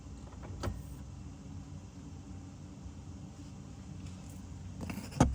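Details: BMW E60/E63 M5/M6 SMG pump during the INPA bleeding routine, freshly topped off with CHF-11S: short electric pump whir, then sharp actuator clicks as the gearbox shifts. A healthy pump, unlike the previous one that was failing.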